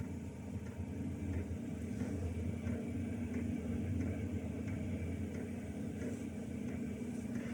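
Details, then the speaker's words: Chinese diesel heater after swapping in a quieter fuel pump, turned down to 8 °C: steady low burner rumble with faint, even pump ticks about every two-thirds of a second; quieter, though less than hoped. "okay so it is quieter I was hoping to bit more quieter than that"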